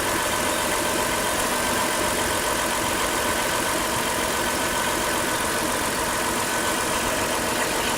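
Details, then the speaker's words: Power steering pump during DIY flush, engine idling while wheel turned, fluid level running low; steady idle with thin even whine over the top, pump groaning from low fluid. "that noise you're hearing is what happens when the food gets a little low go ahead and add a little food"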